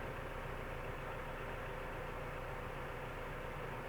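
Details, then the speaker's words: 2004 Toyota Tacoma 4-cylinder just after replacing the sluggish idle air control valve, not yet at operating temperature: idle came right up, smooth and even with steady low rumble and no hunting or stumbling. "okay so we can already tell our idle issue came right up so our idle air control motor was definitely sluggish or or just not very accurate at all"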